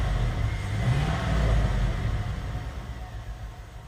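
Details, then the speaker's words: GM 5.3L LS-swapped Suburban free revving in garage with passenger-side front O2 sensor unplugged: uneven, lumpy beat and slight shake, a dead-cylinder misfire persisting though pulling slightly cleaner. "it's still got a little bit of a mess and a shake to it but actually seems to pull quite a bit cleaner just free wrapping"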